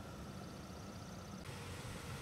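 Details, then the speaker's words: Lexus GX470 idling right after an oil and filter change, checked for leaks: a soft, even idle with a low steady rumble and no knocks, misses or hunting. Engine sounds healthy; normal idle. "keys are in the ignition let's start her up sounds good sounds like she's running right"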